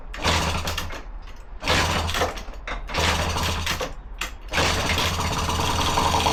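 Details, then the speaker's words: Non-starting Honda Dio scooter, kick-started on ether spray with throttle open: a few bursts of firing cough and catch, run briefly, then fade out as the ether is used up; fuel starvation, carburetor or jets suspected blocked. "and like that she started all right I hear you it ran but it didn't run for very long and that's simply because it ran out of fuel"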